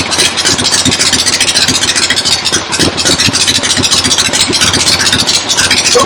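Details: 1975 Harley XLH Ironhead Sportster V-twin, fresh rebuild, first start outdoors on a temporary lawnmower gas tank: loose uneven thumping under heavy hiss, keeps running without dying; oil return established, oil pump working, normal idle.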